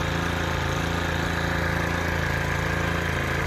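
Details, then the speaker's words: Stihl FS 110R 4-Mix trimmer on the bench with no clutch drum, which previously wouldn't idle down: after repair it holds a steady, even idle with no surging or hunting; normal idle. "all righty guys we got the little old steel uh four mix going one more time this thing idle's pretty dead coming good now"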